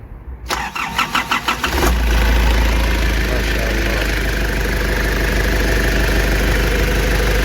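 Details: Nissan Urvan ZD30 diesel with a no-start problem, after repair and reassembly: cranks about a second and a half, catches cleanly, then settles into a steady even idle with no knocks or misses; normal start and idle.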